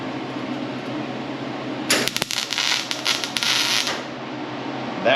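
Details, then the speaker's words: MIG welding during cab-corner rust repair on a 1981 Chevrolet C-10: after a quiet hum, a steady frying crackle runs about two seconds, the sound of a properly penetrating weld. "you want to run it long enough to hear that pop for two or two seconds"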